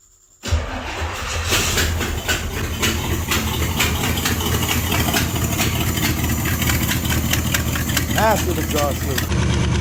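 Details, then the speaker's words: Project vehicle bought as not running, with wiring reportedly eaten by ground squirrels; gas added to the main tank. The starter cranks briefly, then it catches right away and settles into a steady, even idle with no misses or knocks; running normally. "we did wind up adding a little bit of gas to the main tank on this uh and it drew from that so all good there and other than that we're good to go so back to me test running it"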